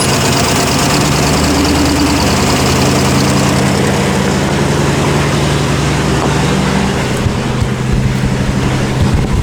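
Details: 1955 Ford Mainline ute custom, 302 Windsor V8 with C6 automatic, just started on a jump starter after a long sit: loping idle with a steady low rumble, slightly rough but running on all cylinders.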